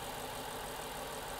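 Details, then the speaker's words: Lexus LC 500 Convertible, 5.0-litre V8, idle: quiet, even idle with only a faint light injector tick, no knocks or rattles; engine mechanically very quiet, healthy. "the only thing you hear when the engine is running at idle is that you hear the injector stick there are no mechanical noises from this engine in fact this engine is mechanically super super quiet"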